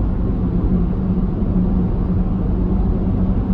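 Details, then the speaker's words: LFD Off Road roof crossbars mounted at the very front of the roof rails hum with a steady low drone under road roar at 70 mph on a windy, stormy day; crossbar wind noise. "now that's 70 and it's uh it's actually really starting to hum right now"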